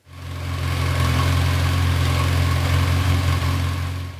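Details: 1992 Yamaha XJ600 motorcycle after carb cleaning and tuning with a wideband sensor, following years of sitting: smooth, even idle with a steady low hum and no stumbles; the engine runs cleanly.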